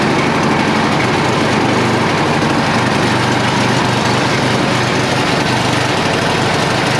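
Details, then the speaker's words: Cold first-pull start of a Yard Machine (MTD) snow blower with a Tecumseh 8HP engine, run outdoors on choke with no warm-up, after a previous no-start and a large vacuum leak; a strong, steady single-cylinder beat with no surging or stumbling. "uh that was first pull i didn't like warm it up or anything"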